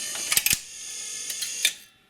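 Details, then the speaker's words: Rock-Ola 456 jukebox under restoration: quick clicks and a clunk as the carriage stops, then another snap a second later; normal record selection cycle on a B-side (inner ring) selection. "see it's searching for it that carriage comes around finds it stops good for does its thing and"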